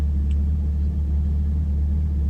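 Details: Chevrolet Camaro with AEM cold air intake idling after repair of a crank-no-start caused by the MAF harness rubbing on the power steering pulley and shorting a fuse. Steady, even low rumble, no stumbles, no longer cutting out; normal idle.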